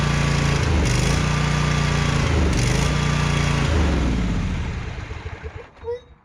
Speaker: Why won't this thing stay running?